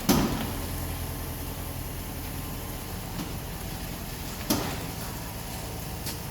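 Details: 2005 Jeep Grand Cherokee WK, front suspension clunk on right turns, appeared after a road trip despite recent new struts, control arms, sway bar links, bushings, rack and pinion, front diff bushing; two solid clunks over low steady rumble.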